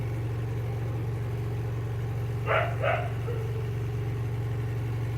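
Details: Samsung washing machine after repairing a no-spin and water-draining problem, clothes loaded and spin-drying: steady low hum, even unbroken drone, no knocking or scraping; the spin drum runs smoothly and dries clothes in about a minute. Normal spin cycle.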